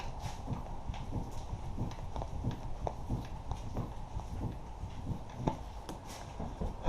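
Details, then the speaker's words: 2007 Honda Ridgeline, body rocked side to side by the door, sway bar end links already replaced: irregular dull low clunks, loudest on the driver's side; worn front struts, to be replaced. "I'm going to rock it up side to side and uh you can hear the struts knocking it's mostly pronounced on the driver's side but I don't have as much leverage over there so here we go"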